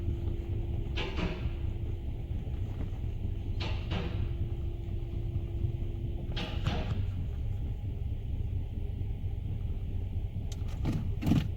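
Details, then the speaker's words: 2015 Nissan Altima 2.5 idling in Drive with codes P0300 multiple misfire and P0014 exhaust valve timing: heavy uneven rumble, shaking badly; exhaust timing solenoid later found dead. "chicken is on and your idle is rough also it's like it's missing so the first thing we got to do is to a scan it pull the code so we can go from there"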